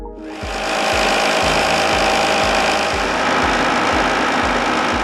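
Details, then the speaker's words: Sliding vane pump fitted with a cavitation suppression liner: steady, even rush with soft regular low pulses, no crackling cavitation; runs smoother and quieter than the unlined pump under identical conditions. "the cavitation suppression liner makes the pump perform smoother and quieter under identical conditions"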